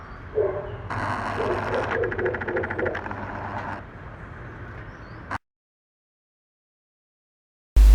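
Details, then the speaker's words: BMW R1200 DOHC boxer (GS/R/RT/RS) at idle, just after throttle-body synchronisation with a homemade vacuum gauge, idle stepper actuators recalibrating via diagnostic app: quick chirps and fast buzzing ticks for a few seconds, then stop. Normal. "une fois la synchro terminé on fait un recalibrage des moteurs pas à pas des actuateurs de ralentis on entend les moteurs travailler"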